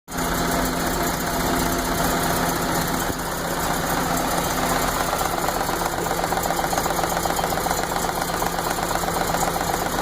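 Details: 1980 MG MGB after vacuum line corrections: the petrol engine idles roughly with an intermittent misfire and also stutters or dies when dropping from high to low RPM. The cause is not yet found.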